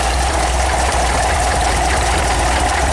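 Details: VW 1800 engine, warm, idling about 800 rpm after rocker arm geometry adjustment with a 288-duration cam, previously very noisy: busy light ticking over a low even rumble, valvetrain clatter.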